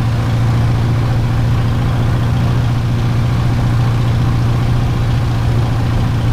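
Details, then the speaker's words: Light aircraft engine on a ground run after plug cleaning and a new battery, carb heat sometimes needed; loud, low, uneven tractor-like chugging with vibration and wobble, rough running, no mag drop, not spark plugs, cause not yet found. "no she's sounding like a tractor you go john"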